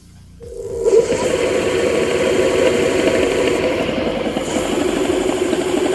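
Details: Homemade electric scooter built from cheapest spare parts, with new controller and homemade battery, riding at speed up to about 30 km/h in third gear; steady even hub motor hum holding one pitch, no grinding or clicking, running healthy.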